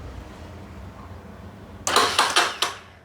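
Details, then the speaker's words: Honda XRE 300 electric start: quiet, then a short burst of four harsh metallic grinds as the starter is pressed, and the engine never catches. The starter one-way clutch is suspected and is to be disassembled. "Então tá dando aí um barulho muito feio e não tá dando partida na motocicleta."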